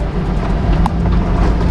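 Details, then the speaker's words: SUV with roof rack and rooftop tent, after fitting neoprene rubber: steady low road rumble while driving with no squeaks; some tool noise from the back; formerly squeaked badly, rack or tent unsure. "No squeaks. That is how you delete your squeaks from your rooftop tent on any car."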